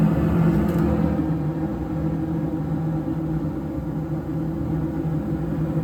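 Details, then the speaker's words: York furnace blower after a DIY blower motor replacement: a low, steady, even rumbling whir with no knocking or rattle. The new motor runs smooth and quiet and the whole unit no longer vibrates. "That is as quiet as ever has been. No more vibration. The whole unit's not vibrating."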